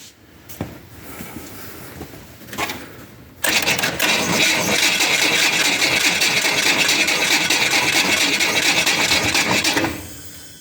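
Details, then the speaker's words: 1966 Pontiac Tempest two-door hardtop starting for the first time in 20 years, carburetor full of fuel, gas tank unhooked: starter grinds over slowly, about three labored turns a second for six seconds, engine not catching; owner suspects a dead battery. "sounds like my battery's dead good it definitely did I'll have to bring you back well when I have a charged battery"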